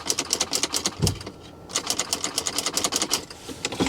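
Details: Salvage Lincoln MKX, weak corroded battery, black oil: rapid repeated sharp clicks with no cranking; suspected starter not fully engaging, possibly locked or hydrolocked engine though doubted; cause unclear.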